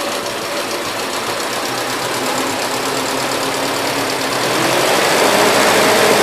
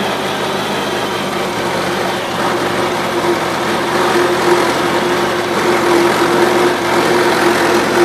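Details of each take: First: 1977 Gravely GMT 900 with the choke off after main and idle screw adjustment, on a mix of old and fresh gas: steady, quick, evenly firing putter that picks up slightly; it runs halfway decent. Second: 1977 Gravely GMT 900 single-cylinder, carb cleaned but main jet stuck, old gas mixed in tank: steady, slightly uneven chugging idle; runs only on full choke, idles well, carburetor still dirty.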